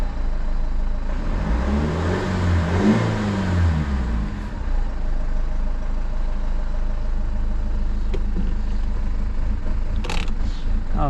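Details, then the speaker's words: 2007 BMW 520d E60, M47 diesel, cover removed, EGR-related fault, boost pressure sensor code: long labouring crank, revs surging and sagging before catching and idling unevenly; hard starting, sometimes dies by itself. "It's starting and it's sometimes the engine it dies by itself."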